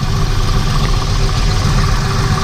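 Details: Car engine after refitting the pulley with its backed-out bolt secured and the belt reinstalled. Smooth, steady V8 idle with a deep even rumble, no grinding or scraping from the front accessories; repair successful, runs clean.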